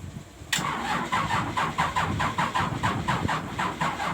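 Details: PC-200 hard starting that also emits black smoke: starter cranks at an even pace of about five compressions a second for several seconds without the engine catching.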